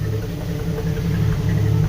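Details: 1988 Jeep Wrangler YJ 4.2L straight six carbureted, automatic, idle raised from about 500 rpm: low idle surging over about two seconds with exhaust pops from over-advanced timing and a lean carburetor; vacuum low.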